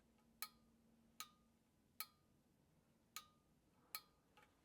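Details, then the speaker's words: New thermostat fitted to a True two-door reach-in cooler, dial turned through its settings (off, 1 warmest to 7 coldest): five sharp clicks about a second apart in a quiet room as the thermostat contacts open and close; normal thermostat clicking. "And you can hear it. You can hear that thermostat opening and closing."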